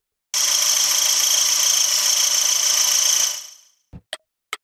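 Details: Mazda Eunos Roadster (NA MX-5 Miata) running: a sharp, high-pitched, cricket-like chirp pulsing about four times a second from the alternator area. Belt squeal was ruled out as the cause.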